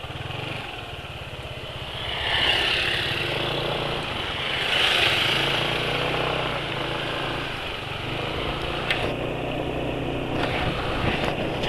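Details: Small single-cylinder motorcycle after a full oil drain and change (Audilube oil compared, Bimoli vegetable oil mentioned): quick, fairly even putter and mild revs, nothing knocking or rattling; sounds smooth and healthy.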